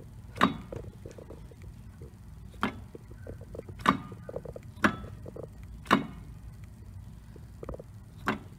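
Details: 1999 Mercedes S320 W140 in neutral: sharp, uneven clicks a few seconds apart as the driveshaft is rocked by hand at the front flex disc connecting to the transmission, which also clicks on gear changes; worn driveshaft flex disc.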